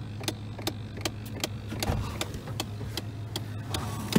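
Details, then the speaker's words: 2001 Chevrolet Silverado with broken A/C. Light, sharp clicks every few tenths of a second over a low hum from inside the dash box; the owner suspects a motor for the air conditioner, unconfirmed. "i found where the terrible clicking was coming from the terrible clicking sound is in here"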